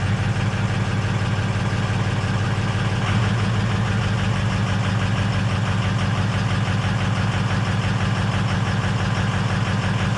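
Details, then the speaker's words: 2006 Ford F350 6.0 Powerstroke diesel, first cold start: loud, steady clatter at idle, about three knocks a second, drowning out the quiet exhaust; check engine light on and two glow plugs out. "that thing is loud but the exhaust is quiet so we're gonna have to do something about that we barely even hear the exhaust over that noisy engine"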